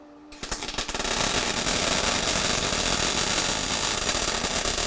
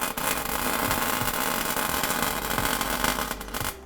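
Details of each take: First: MIG welding a BMW E36 differential; crackling arc with irregular popping breaks instead of a smooth continuous sizzle; weld stutter, possibly wire speed too low or torch held too far away. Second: MIG welding the differential of a BMW E36 Compact to lock it: an even, crackling hiss held steady for a few seconds without popping or stuttering, the sound of a hot, well-penetrating weld.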